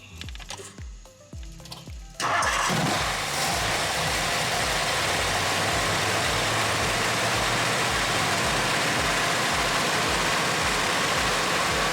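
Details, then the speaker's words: 1964 Mercury Montclair, Ford FE 390 with new cam and intake kit, first run in about 40 years after it kept dropping off with the key: a few cranks then a loud, fast, even idle; runs smoothly but idles too high. "Needs to idle down. But it seems like it's running pretty smooth."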